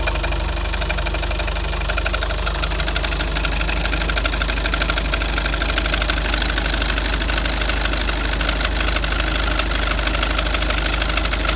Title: Delica l300 squeaking noise :(